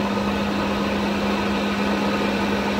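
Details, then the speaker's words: BMW E36 with overheating, radiator fan rewired (bypassing the fusebox) so the medium-speed signal runs it at high speed: a steady, strong rushing of air with constant hum over engine idle; radiator fan running flat out. "So this uses to be the medium speed, but the fan is high. Let's suppose it will turn high."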